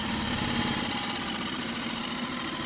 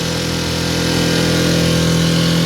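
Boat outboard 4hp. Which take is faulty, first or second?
second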